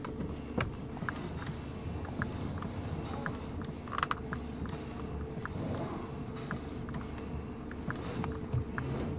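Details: 2019 Toyota Rush, complaint of clicking under the steering column when turning left and right: steering turned side to side stays quiet, with only faint creaks and light ticks and no knocking.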